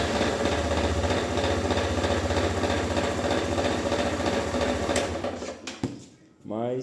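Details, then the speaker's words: Single-cylinder engine idling, makes more noise than it should: quick, fairly even tapping on top, roughly three per second; an extra engine noise, cause still unknown. "O motor dela, você liga ela, ela faz um barulhinho a mais do que deveria."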